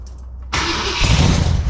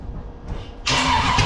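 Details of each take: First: Freshly built 454 big-block Chevy for a 1972 Camaro. It catches quickly and settles into a deep, even, lumpy rumble with no knocks or misfires; judged a healthy engine that runs well. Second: Freshly built 454 big-block Chevy for a 1972 Camaro: brief crank, then it catches abruptly and runs uneven and lumpy, with fire seen; owner suspects ignition timing too far advanced and is adjusting the distributor.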